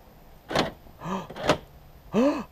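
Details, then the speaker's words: 1994 Peugeot 306 infrared central locking, tested with the repaired remote on a temporary battery rig; four short crisp whirring clunks of the lock motors; central locking working normally. "that is working just need some batteries now and we can put the remote back together"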